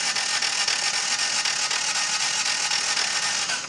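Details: Toyota, engine cranking with clutch pushed in: fast, even, light whirring at about four beats a second with no compression pulses; no compression due to broken timing belt.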